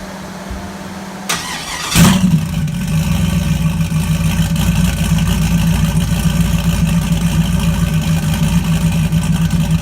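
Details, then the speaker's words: Turbocharged 5.3 V8 GMC Typhoon, first-ever cold start with the turbo, intercooler and charge pipes fitted, blow-off valve on vacuum, basically a naturally aspirated tune: short crank, sharp flare on firing, then a smooth, steady V8 idle with no misses. "This is going to be basically a NA tune, first time ever cold start with the turbo hooked up. So see what happens."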